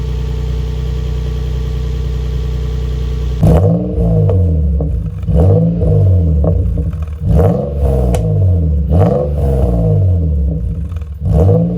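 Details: Nissan 350Z VQ35DE after installing a Blox 5/16 plenum spacer and intake tube: smooth steady idle, then several quick clean blips rising and falling evenly with louder intake sound; no misses or rattles, healthy.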